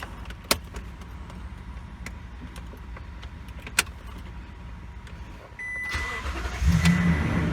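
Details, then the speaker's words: 2018 Toyota Tundra 5.7 V8, after fuel pump replacement for a crank-no-start: quiet key clicks, extended crank to build fuel pressure, then catches and settles into a steady idle; clean start. "I tried to cycle the key to prime it a few times but it still seemed like it just had to have an extended crank in order for it to build up enough pressure to get it started but once it got started this thing's running great"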